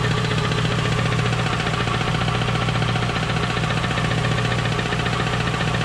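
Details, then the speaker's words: Pontiac Trans Am V8 at idle, T56 transmission removed and bad pilot bearing found: a steady soft knock, three to four a second, remains, so it is a rod knock. "it's still there so obviously i have a rod knock which is what i was hoping and praying wasn't"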